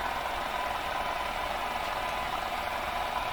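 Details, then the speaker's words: Arvin 444A four-tube steel case radio: constant hiss with no tuned signal, which drops when another nearby radio is unplugged; interference suspected, source not proven. "I'm going to pull the plug on this radio and the hiss is going to reduce on this one"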